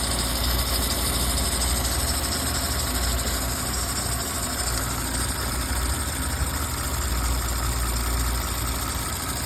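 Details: Audi A6 3.0L idling with rough, buzzy, fast uneven pulse; belt noise from coolant leaking onto the alternator belt, coolant migrating from water pump to vacuum solenoid valve; water pump, solenoid and contaminated vacuum hoses need replacement.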